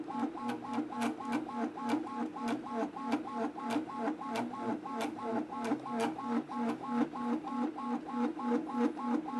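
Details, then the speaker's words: Anycubic Kobra 2 3D printer printing: rhythmic buzzing chirps about three per second with hollow ringing; increased belt tension helps slightly but loud motor resonance remains, amplified by cheap injection-molded base. "not exactly sure how to get rid of this noise when I change the belt tension it seems like it's helping a little bit but overall it's still kind of loud and obnoxious"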